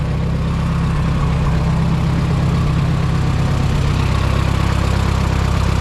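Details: Minneapolis-Moline M5 tractor idling cold on a 25-degree morning, hydraulic oil thick; steady low chugging idle about 200 beats a minute, even, no knocks or misses; oil pressure good, charging; healthy.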